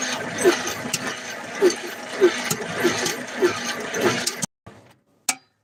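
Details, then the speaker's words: Car engine with sticking valves being freed with Marvel Mystery Oil, cylinders four and five stiff: sharp metallic clacks about every half second over slow cranking, then stops; owner suspects a sticky lifter, unconfirmed. "So, sounds like a sticky lifter. And it comes all the way up, sticks, and goes down."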